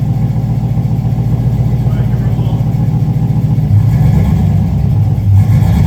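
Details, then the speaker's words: LS V8 swapped into a Volvo, with stock pump and homemade recycled exhaust, heard at the rear: deep, lumpy idle with a loud raw exhaust note swelling on a blip, now much better. Normal idle and revving. "now it's a lot better see what it sounds like in the back"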